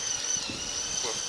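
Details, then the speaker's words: Cheapest portable 36-watt camping washing machine on a power bank: thin, high, steady motor whine straining under wet clothes; overloaded, barely able to turn the load. "You could hear you can hear the motor whining. You think it won't be able to do a pair of pants?"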